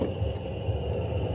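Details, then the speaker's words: Chevrolet Celta 1.0, engine running: deep rough rumble swelling about twice a second from the air-conditioning compressor pulley; removing the belt stopped the noise. "Tá vendo aquela polia ali que tá girando e fazendo aquele barulhão todo ali é do ar condicionado"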